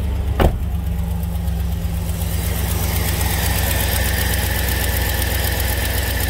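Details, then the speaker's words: 2006 Chevy 2500 pickup, 6.0L, cold-start idle heard from one side: fast, even puffing tick in time with firing, not valvetrain tick; exhaust manifold leak. "can hear it puffing type sound here pretty clear on this side all right so that's that's an exhaust leak"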